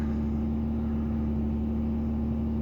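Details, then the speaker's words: 2003 Ford Taurus SEL, ~215,000 miles, idle air control overspeed error: steady fast idle just above 1,000 rpm with even drone, slow to come down, typical mornings. "you have to you have to it takes about a one minute for the thing to go down so let's see it's just a little bit above the one so i'm waiting here it sounds like a motorcycle when you ride it"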